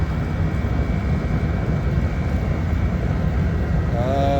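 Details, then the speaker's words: Used Master radiant heater labeled kerosene-only, run on diesel and lit on the first try from dry: steady, even burner roar with no sputter or pulsing; normal running. "running on diesel hey hey hey on first try I mean it was dry as a bone too that's what I'm talking about"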